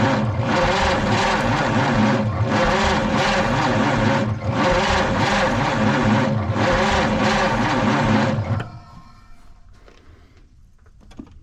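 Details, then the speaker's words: 1953 Studebaker Starliner, off the road possibly 45 years, 6-volt system, old dirty points, fuel pump now delivering: steady starter churn about three pulses a second for eight seconds with no firing; cranks but won't start, cause not confirmed. "Um, it hasn't fired yet. I'm going to try it again now."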